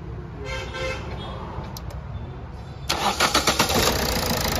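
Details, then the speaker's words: Toyota Etios diesel after misfuelling, all four injectors serviced and refitted, air bled: engine fires after a brief crank and runs evenly, back leakage now much reduced, starting normally. "দেখতেই পাচ্ছেন এবার back leakage, আগে যে হারে back leakage হচ্ছিল এখন দেখতেই পাচ্ছেন কী পরিস্থিতি।"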